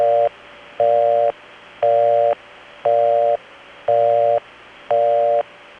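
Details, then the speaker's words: Bell System imposter busy signal from the early 1980s (1981–83), slowed down for comparison with the real Crossbar 5 busy. It is higher-pitched than the real one, a slowed on-off three-tone chord near 500–700 Hz, about one half-second burst per second. "This is another sign of the times. It's a very strange thing that started happening actually in the late 70s, but it was in full force by the early 80s."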